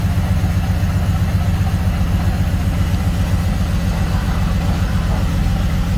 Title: 330i cold start rough idle